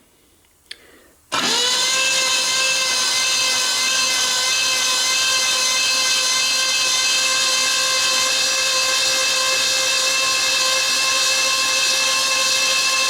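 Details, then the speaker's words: Freshly rebuilt Ford 429 ThunderJet V8 for a 1966 Fairlane, on the floor with the transmission bolted up and all spark plugs out: a smooth, steady starter whine with no compression pulses while cranking to prime oil. Oil pressure came up after a minute. "i'm spinning it over see if oil pressure come up got all the spark plugs out of it"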